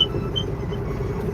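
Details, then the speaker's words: Truck rumbling along the road with a short high squeak chirping twice in the first half second; squeak while driving, source not identified. "Let me see if I can't fix that squeaking noise, too."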